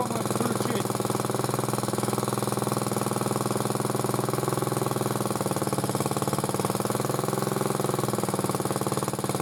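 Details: Motor-cultivator that knocked and stalled in autumn after hard use, started poorly; idling after cleaning; steady single-cylinder idle with light quick tap on each beat; owner suspects a valve tapping, before valve check.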